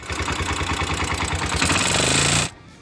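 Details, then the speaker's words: Motorcycle engine before repair: fast, bright ticking over the steady engine beat until shut-off; valve cover removal shows rocker arms worn excessively at the contact point, causing the noise. "de esta falla los balancines andan desgastado demasiado en donde cae y eso provoca el sonido que escuchamos al inicio este sonido"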